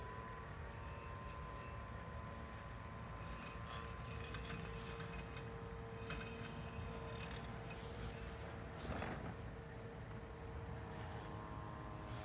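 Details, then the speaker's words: Husqvarna AutoMower 450X robotic mower on its first mow of grass left uncut over 10 days, near the end of cutting: a steady, even motor hum with a thin whine and no labouring; the blade runs under light load. "I think maybe another half an hour or so and this should be completely done and you can hear how the blade isn't working that hard anymore"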